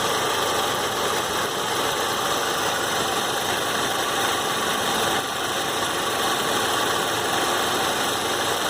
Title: Warm Saab 93 2.0t clicking sound at 3000 rpm